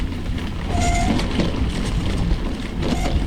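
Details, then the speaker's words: Single-speed bike with rigid forks and fat tyres descending a steep trail section: short high squeals over wind and tyre rumble; front pads replaced, rear pads not, rider thinks rear ones need replacing too. "You can hear my brake pads squealing a bit. The I replaced the front one, but yeah, I was too lazy to do the back one, but I think I need to do the back one, too."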